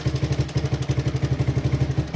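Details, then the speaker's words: 1981 Honda ATC 200 single-cylinder at idle: pulling up on the cam chain tensioner rod screw makes the ticking go away. It gives an even thump with no tick, and the timing chain is properly tensioned. Normal idle. "that ticking goes right away all right that timing chain is getting tight"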